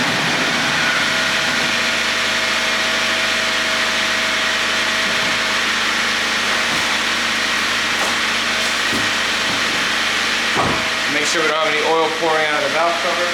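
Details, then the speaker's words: 1997 Honda Civic D16Y8 four-cylinder idling smoothly right after valve lash adjustment; no ticking from the valve cover, valves quiet and engine healthy. "let's see how quiet it is with the exhaust and we're going to see how the valve lashes hopefully it's [Music] better sounds good I don't hear any noise"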